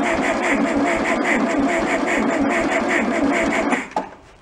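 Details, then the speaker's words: Old, rusty abandoned VW Beetle, starter run via button with 12 V to coil: engine cranks at about three pulses a second but never catches; no spark suspected, plug test showed none. "I am pretty confident we don't have spark."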